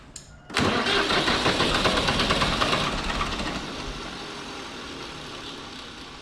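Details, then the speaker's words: Farm tractor hard to start: it cranks and only catches with a sudden roar at full throttle, then settles lower as the fuel comes off. Cause of the hard starting unknown. "for some goofy reason you have to give the thing all the fuel that it wants and then when that happens it starts to go"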